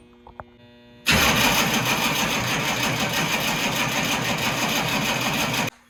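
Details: Humvee diesel after failed mechanical fuel pump, batteries weakening: about four and a half seconds of even cranking, roughly three turns per second, without firing while the emptied fuel filter canister refills.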